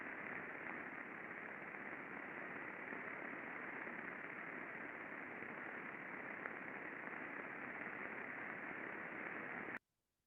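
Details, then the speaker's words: Industrial bearing heard through an ultrasound probe before greasing: steady, loud rushing hiss with small peaks around the RMS indicating raised friction; under-lubricated bearing. "so we can see these little Peaks around the uh the RMS through the middle here this is our indicator of increase in friction"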